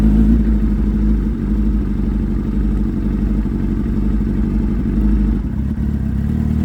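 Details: Suzuki Hayabusa with a built motor and aggressive cams, on a road test after cleaning its clogged fuel filter; before, it only reached about 7–8,000 rpm. Deep engine drone pulls smoothly under road and wind noise without stumbling, revving out toward 11,000. Healthy full-rev acceleration.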